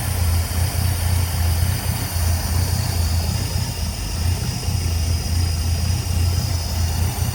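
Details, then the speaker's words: 1959 Cadillac that sat a couple of years: low, steady idle with an even burble and no engine knock or ticking. Slight power steering pump noise, shot mufflers with a possibly loose hanger, and a vibrating air cleaner and sheet metal. "But as you guys can hear, there is absolutely no noise in this motor."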